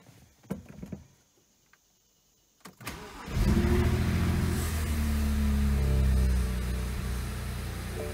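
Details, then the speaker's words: BMW Z4 with the same engine as the 335i (N54 family), which had run rough with reduced power, at first start after cleaning the Vanos actuators and changing the oil: it cranks, catches and settles to a steady, even idle; normal idle. "okay this is the first start up after cleaning the Dan house actuators and put it in fresh oil"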